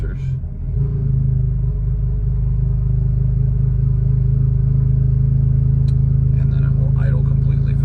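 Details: 2006 BMW 330i (E90, N52) at cold start: steady low idle with a slightly uneven pulse; rough idle, plus loss of power and surging when driving, despite new VANOS solenoids and camshaft sensors; cause unknown.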